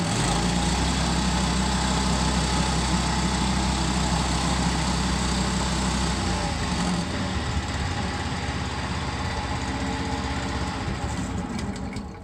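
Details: Tazmanian roof floor cutter repowered with new 13hp Honda GX390 petrol engine: strong, steady single-cylinder thump at fast idle, then revs drop smoothly as it winds down; normal running.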